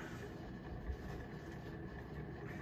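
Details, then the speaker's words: SMC A52 52-inch ceiling fan at medium speed, new out of the box: steady low rumble with faint whirring from horrible bearings; owner suspects poor-quality bearings typical of later SMC fans, or possibly no lubrication inside. "this thing has horrible bearings right out of the box"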